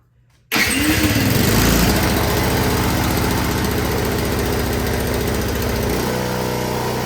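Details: Honda HS520 single-stage snowblower that would not start and had no maintenance, started during repair with choke on and gas on; cranks and catches within a second, surges briefly, then runs steady and even; normal start and run.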